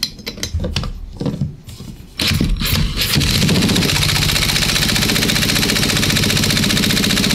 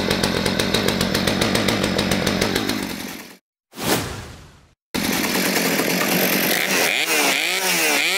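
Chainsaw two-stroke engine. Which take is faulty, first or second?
first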